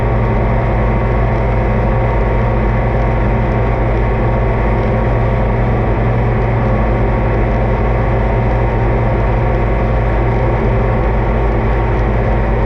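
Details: Oliver 2255 front-wheel-assist diesel tractor idling on a test run after service (engine oil, transfer case, front axle, rear end and hydraulic oil changed); deep, even rumble at constant speed with no misses or knocks, normal idle, everything done judged fine.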